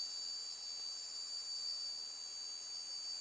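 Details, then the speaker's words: Hard drive motor on programmable ESC with brake function enabled, powered up to full speed: steady high-pitched whine at constant pitch, no wobble or grit; normal running, then brake stops it straight away. "power back on again right we're there so this time Power Up full speed"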